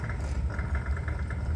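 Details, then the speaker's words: Well system after replacing burned-out pump motor with 3/4 HP pump: low steady pump drone with quick fluttering rattle of the check valve chattering as water flows while the system fills. "And I know we're moving water because I can hear it chattering. The check valve is chattering."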